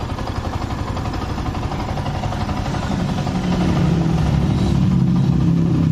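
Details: Yamaha R15 that was dead and would not start, with weak compression, first start after an engine rebuild that found something jamming the valves: it catches and settles into a steady, even beat of about four pulses a second with good compression. Normal idle.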